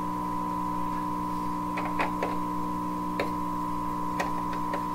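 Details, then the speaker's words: 1928 RCA Victor Model 28V radio during restoration with alternate 227 tube, tuned near 640; steady high whistle over low hum with scattered crackles: oscillation, suspected regeneration out of control. "Okay, so that to me sounds like a regeneration out of control."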